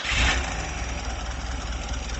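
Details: LADA 2107 after replacing the radiator, water pump and thermostat: a quick catch on the starter, then a settled, even idle with no knocks or misses. The engine starts and idles cleanly.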